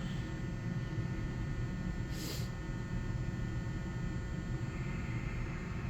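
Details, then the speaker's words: Mortal Kombat II arcade soundboard that previously gave no sound, with corrosion on the board; constant low steady buzz through the speaker and no sound effects, buzz later fades away. "oh I hear some definitely hear some buzzing that's for damn"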